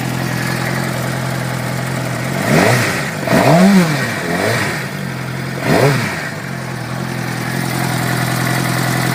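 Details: 2006 Suzuki GSX-R600 four-cylinder idling with quick, uneven ticking over the exhaust note, persisting through blips; source undetermined.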